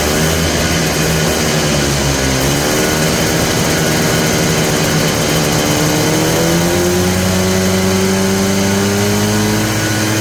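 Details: Polaris Trail Boss 250 two-stroke, just revived: pitch wanders, hunting up and down, and won't settle to a steady idle. The owner suspects a plugged carburetor idle circuit; the cause is not confirmed.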